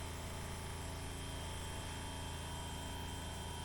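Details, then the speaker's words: 1979 Porsche 924, engine off, electric fuel pump hot-wired to the battery during warm-up regulator pressure testing: faint, even hum with steady whine, no surging or catching; pump running normally. "you can hear the fuel pump running right can you hear that it's back there running"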